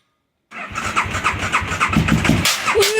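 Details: KTM 950 Supermoto twin, start-up: uneven cranking beats about three a second, then it catches with a rough clatter and whir; abnormal noise on starting, source unknown.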